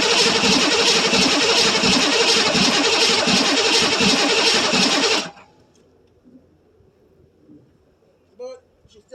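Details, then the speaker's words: 1982 Chevrolet Silverado K10 with 6.2 L diesel, cold start after about 22 years sitting, new batteries, glow plugs cycled: steady even cranking at almost four beats a second for five seconds, never fires; cranks but won't start, starting fluid next. "don't act like she wants to do anything now. So instead of burning starter up, just give it some Cosby sauce down his throat and we'll see what happens."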